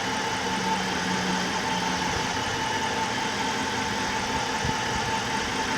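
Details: Chrysler 300, 5.7L Hemi, 127,000 miles, just started after heads rebuilt for the valve-seat failure (a seat dropped on a warm restart): steady, fairly quiet idle with an even hum, no knocking or ticking; normal idle.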